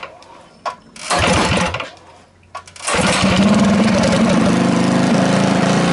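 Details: Rebuilt Tillotson 212cc mini bike engine from a Mega Moto 212, with PZ22 carb and Tillotson 225 RS race cam, on first start after rebuild: a couple of pulls, then a fast, slightly uneven putter; the carb idle seems to need a small adjustment.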